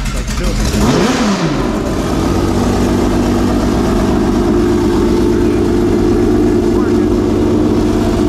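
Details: Homemade V12 race engine first fire-up after several months in storage, installed in race car: loud lumpy, uneven running; water pump not running and something sounds off, cause unclear.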